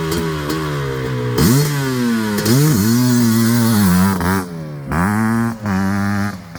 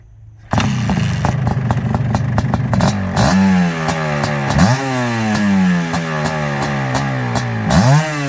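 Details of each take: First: Suzuki LT500R Quadzilla 500cc two-stroke, FMF pipe, airbox lid off, 39mm PWK-style carb, warming up at only about 170°; lazy, burbly blips picking up cleanly; owners suspect slightly rich jetting when cold. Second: Suzuki LT500R Quadzilla 500cc two-stroke after bumping up the pilot jet, started cold without choke; crisp repeated blips climbing and falling cleanly; sounds much healthier, normal start and rev.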